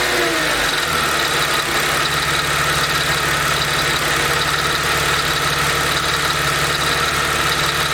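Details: Mercedes SLK 32 AMG at warm idle, above 40°C, with a loose double-beat "dadum dadum" rattle under a steady hum, not the quick ticking. The rhythm follows engine speed and disappears above a certain rpm. Source unknown.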